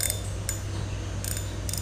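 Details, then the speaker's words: Used Malaysian-made 3000 spinning reel in good condition: crisp, sharp metallic clicks in short bursts over a quiet background; clean, healthy clicker and smooth operation. "tiếng rắc m nghe rất là đã nhé"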